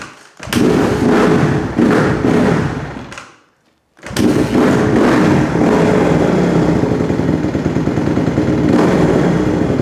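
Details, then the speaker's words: 2008 Honda CRF150R dirt bike carb being dialed in: single-cylinder thumps, revs sag slowly then pick back up instead of dropping clean; hanging idle from idle screw set too high, later fixed by tuning idle and fuel screws. "try and turn the idle up a little bit as soon as I go too much on that it starts getting the hanging idle"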